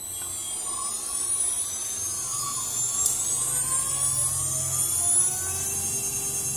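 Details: CNC spindle motor bench-tested before return to customer: smooth steady high whine climbing gently as it spins up, no knocks or rattles; running normally.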